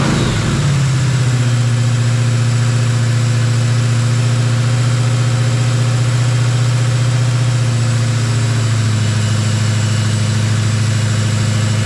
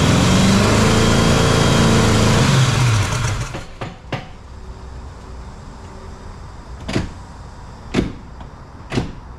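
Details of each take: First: Jeep XJ with swapped 350 V8, after valve adjustment fixed the dead cylinders: it fires within a second and settles into a deep, smooth, even idle with no misses or ticking. It runs clean on all cylinders. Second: Jeep XJ with swapped 350 V8, first startup, distributor loose: it catches and runs rough and lumpy for under three seconds, then dies with a few clunks. Only some cylinders fire; number one appears not to fire, and only the cylinders with compression work.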